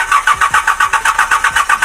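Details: Hyundai Porter 2 D4CB CRDi diesel cranks but won't start, code P0193 fuel rail pressure sensor circuit: steady starter cranking at about seven pulses a second with no firing at all.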